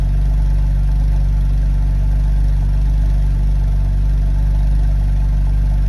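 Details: BMW N52B25 engine, stock, at cold start runs rough from retarded camshaft timing on both cams (codes P0012, P0015) and hesitates under revs: deep, slightly lumpy, uneven idle pulse.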